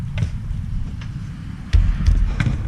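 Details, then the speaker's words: Nissan Pathfinder front suspension knock while driving: dull, uneven low thuds about two or three per second through road noise; cracked, worn-out part found on that side, to be replaced. "not the tire but from one of the bushings or bearings or like this one right here she's pretty crack in sunlight and get you something a little lighting here she's pretty cracked and worn out so that looks like what we need to replace right there"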